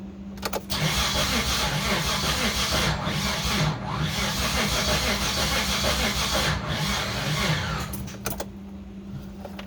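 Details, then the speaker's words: 1989 Dodge Raider 3.0 V6 (Mitsubishi 6G72) with new lifters soaked in oil but not bled: cranks at about three beats a second with uneven, lurching rhythm, never fires; sounds 180 out but timing checked correct; owner suspects lifter air. "Here's what happens when we try to crank it over. I mean, to me it sounds like it's trying to go backward, like it's 180 out."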